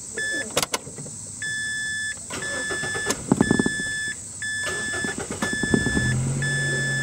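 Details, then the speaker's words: 2005 Mazda 3 after fuel pump and tank replacement, resting pressure now holding 45 psi (long cranks before from pressure dropping to zero): door chimes beep, then a very short crank catches and settles into a steady idle. "let's see if it starts up now a little bit easier than it used to remember that was the whole reason for changing the pump was blowing crank times due to that resting pressure going to zero"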